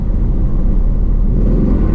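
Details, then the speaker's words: Nissan Altima at auction, service engine light flashing, weak power in gear; deep uneven rumble that stumbles and lurches, sounds like a dead cylinder, not confirmed. "okay so this thing sounds like a dead cylinder yeah i don't trust it"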